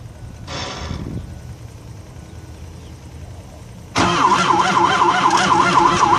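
Quiet, then a steady crank at about four strokes a second that never catches or picks up speed: it turns over but won't fire.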